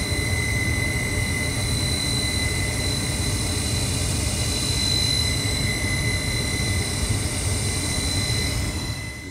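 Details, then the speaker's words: Carrier 58CVA110-20 natural gas furnace, Jakel J238-150-15217 inducer motor: steady high-pitched whine over the furnace rumble, ringing through the house; inducer motor rebuilt/replaced. "i don't know if y'all can hear that huge whining that's the issue like rings throughout the whole house"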